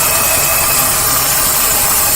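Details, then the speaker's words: Petrol engine idling with a steady airy hiss from a busted vacuum hose on the back side, found by feel after codes P0171/P0174; vacuum leak hiss. "I don't know if you can hear it hissing but it's it's hissing and leaking on the back side so apparently I have a leak back here I have a busted hose"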